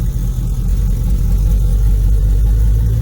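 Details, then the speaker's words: 2002 Camaro V8, first start after installing a Hooker Blackheart true-dual exhaust and an oil change. A deep, even idle burble with no banging, ticking or exhaust leaks: normal idle. "Ooh. Everything's started. That's a good start."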